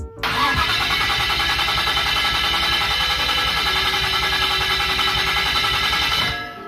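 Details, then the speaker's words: Nissan S14 with RB25 Neo swap, first start attempt after fresh oil and coolant: fast cranking with a thin bell-like metallic ring throughout. Owner thinks it is just the forklift starter. Metallic ringing while cranking, source uncertain. "It just means this damn forklift starter is crazy. Just real quick, just. Oh, I hear you. Yeah. I think that's just the starter."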